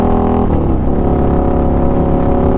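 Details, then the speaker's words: Honda Ruckus scooter ridden above 60: its small engine drones at a steady high pitch with a coarse, beating buzz and vibration at top speed. "but you can guys hear that beat buzzing sound yeah that means I'm going over 60 which means that it's gonna buzz a lot"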